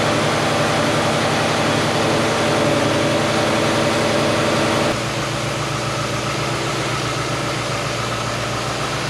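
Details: 2022 Ford F-150 5.0L V8, first start after a used replacement engine and long-tube headers were installed (the original engine holed its block after a Whipple supercharger kit): it settles into an even, steady idle with no knocks or ticks and sounds healthy.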